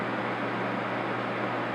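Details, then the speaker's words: Honeywell HCM-6009 humidifier fan running: steady low electrical hum from the fan motor under the fan air rush, subdued; hum grows louder when the empty reservoirs are added. "there's less humming and if I add the reservoir which are empty the IMing is much more audible"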